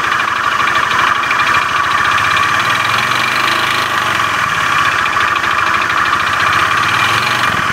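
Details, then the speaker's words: Honda Beat FI scooter with rough starter, at idle: steady, rough clatter with a fast, even klotok knock through the engine; knocking noise attributed to worn, damaged connecting rod. "motor teman-teman Beat FI starter kasar suara pada mesinnya kasar klotok-klotok"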